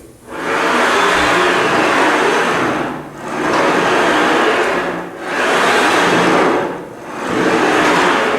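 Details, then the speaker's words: Body Solid Pro Clubline SCB 1000 Smith machine: a loud hissing rumble from the ball-bearing bar slide rises and fades with each stroke. Normal bearing noise, no fault. "So it's not really bad, but it is kind of loud."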